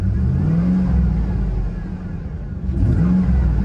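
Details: Salvage-auction vehicle that fired right up without a jump, recorded on an iPhone 13 Pro Max only. Two smooth rev blips rise and fall cleanly with even firing and no knocks or rattles, a healthy-sounding V8: normal engine revving.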